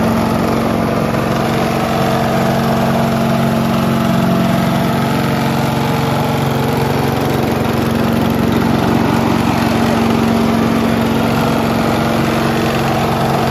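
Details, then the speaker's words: Mighty Mac wood chipper/leaf shredder, free non-running unit, small engine restarted after replacing the rusty seized choke flap, steady fast drone with low hum and shaking; violent vibration from something out of balance, suspected, not confirmed. "Do you see how violently vibrating it is? So why does it vibrate so much?"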